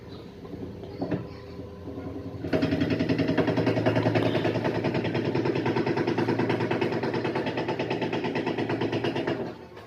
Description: Is your LG washing machine making loud noise during the spin cycle?